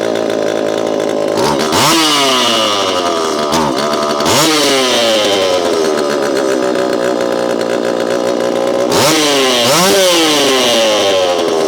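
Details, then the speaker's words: Repaired Homelite Super EZ chainsaw, boxed about two years after transit damage, on its first test run after reassembly. A crisp two-stroke buzz snaps up instantly with each throttle blip and settles back cleanly; throttle response is instantaneous: normal running. "Okay, not bad. This thing has a lot of zing to it, and I know you know what I mean. Zing. It's throttle response is instantaneous."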